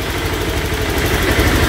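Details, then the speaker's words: Honda Click 125i V3 scooter after repair of a helicopter-like, ticking noise first thought to be the transmission. Smooth, even low idle hum, no ticking or chopping; normal idle. "wala nang ingay, wala nang TikTok."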